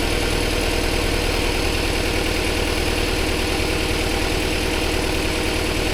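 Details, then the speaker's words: Car stored over 13 years, fluids and fuel pump changed: uneven lumpy idle with irregular pulse and shaky beat, misfiring; running rough, owners suspect bad old fuel and plan to drain it. "So, the idea is what we're going to do is because it's still running really rough. We think it's probably really bad fuel."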